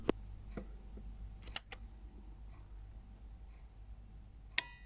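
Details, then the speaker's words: Relay clicking as it pulls in and latches cleanly at power-on and off in a recapped Aiwa AX-7600 power amplifier after repair, with a new, larger replacement relay fitted; crisp clicks over faint room hum, healthy relay. "there you go so if i turn it off you can see the relay you can hear it anyway nice"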